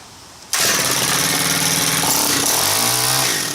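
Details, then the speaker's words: Stihl KM130 4-Mix engine after valve adjustment, restarted warm after 5-10 minute cooldown with pole saw attachment, no fast idle: fires at once, screams at high revs, then pitch sags and wanders; running off-tune, low seems good, high suspected too tight. "That's better. That sounds like it needs tuning though. See if I can tune that out of it."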